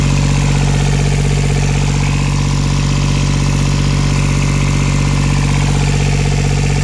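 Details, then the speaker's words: Yanmar YB121U mini excavator, used Japanese import, diesel at idle: deep, steady idle with even clatter, no misses or knocks; described as running cleanly and working well, healthy. "вот собственно такой экскаваторщик 121u очень классный четко работающий давайте послушаем Как работает"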